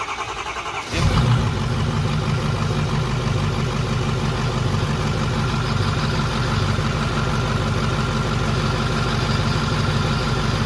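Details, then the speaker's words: Diesel truck first fire-up after an engine build, wrench light on: catches and settles into a rough, uneven idle with a loose slapping over the clatter; unplugged fan clutch connector tab flapping against the fan. "forgot to plug in a fan clutch that's my fault too but we need to pull it around and you can probably reach through the fan I think great because I could hear the tab down there I was like what the heck is flapping aroun"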